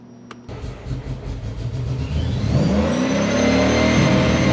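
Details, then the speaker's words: Supercharged (M90) 1UZ V8 Toyota Prado with new wiring loom, throttle stop not yet set: engine catches and climbs to fast high idle with thin steady whistle, air leaking into intake; leak being hunted around intake points. "donc avec le bruit qui couine dans nos oreilles pour obtenir un soutien-gorge ke propre, nous commençons simplement à le mettre autour de n'importe quel point que nous pensons que l'air pourrait entrer dans ce moteur provoquant ce grincement"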